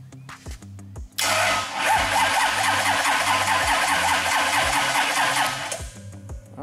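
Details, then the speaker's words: Freshly built 454 big-block Chevy, primed and timed, plugs installed, not started; steady starter cranking with even compression chug, spinning strongly enough to fire: healthy cranking. "right so seems like it'll spin it good enough to fire it up"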